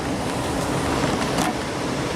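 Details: Furnace blower after replacing the water-corroded control circuit board, AC set to cool with thermostat at 74 and compressor running: even, steady rushing air with no knocks, rattles or squeal; blower runs smoothly.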